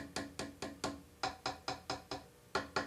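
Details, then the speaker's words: Hammer-veneered crotch mahogany drawer front being tapped: sharp wooden taps in bursts with a dull hollow note instead of the resonant ring of bonded areas. Hollow spot where the veneer has not bonded. "it's got a more resonant ring to it than if it was a hollow spot let me see if I can find one of the hollow spots here's the hollow spot here so"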